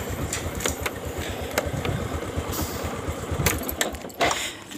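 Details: Honda Supra X 125 motorcycle whose electric starter and neutral light failed from a fuse fault: the small single-cylinder engine idles steadily under some handling clatter, running evenly with nothing amiss.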